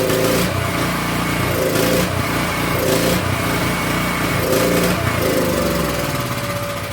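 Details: King Canada 3000 W generator, no air filter fitted, loaded with a heat gun and making good voltage: engine speed rises and falls every second or so in a steady cycle; hunting, suspected to come from the missing air filter.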